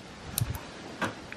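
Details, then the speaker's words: Quad with new wiring, start button pressed: just a few faint clicks, no cranking; starter relay wiring fault, relay then reconnected. "aha dobra przekaźnik jest podpięty przekaźnik przekaźnik rozrusznika mit potwierdzony widzicie teraz myślę czemu to nie odpala"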